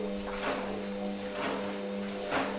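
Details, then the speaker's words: Hotpoint washing machine C.E.SET motor after fitting new carbon brushes, viewed from underneath: steady even hum with a soft swish about once a second, armature spinning smoothly with no sparks or crackle; normal motor run. "you can see the armature spinning here with the new carbon brushes and there´s no sparks at all"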